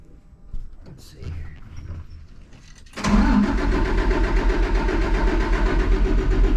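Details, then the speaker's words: Cummins ISC 8.3 diesel, hard starting after sitting, air in fuel: cranks briefly, catches around three seconds, slightly lumpy idle; fuel found wet at weep hole under gear pump, leaking seal suspected of admitting air. "the suckers leaking somewhere must be a weep hole on the bottom of that gear pump it's wet"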